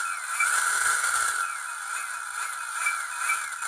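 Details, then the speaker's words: Replacement motor with chunky torque gears whose mesh gap has been adjusted so the teeth feather rather than touch: a steady, high, even whine with no knocking or clicking; the gears mesh smoothly, though louder than might be expected. "they may have a bit of a sound more sound than you may have anticipated but"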